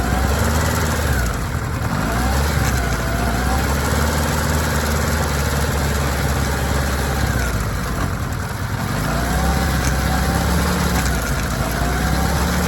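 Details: Kawasaki ZR-7S air-cooled four-cylinder at steady idle with an uneven, loose rattle over the engine note; suspected chain noise, cause unclear.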